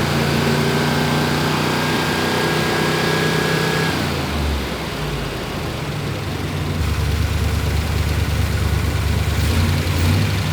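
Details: 1963 Corvette split window 340 hp small-block V8 after first start, during timing setting: lumpy but steady idle with a solid-cam chop, rising briefly on a throttle blip; no knocks or squeals, normal idle.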